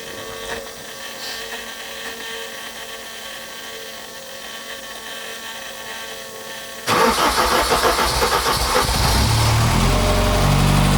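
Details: Rare BMW M car, one of 786, garaged 20 years, first start on a cold morning running from an external fuel can, injectors and spark confirmed; quiet cranking, then catches and settles into a steady, even idle with strong low rumble.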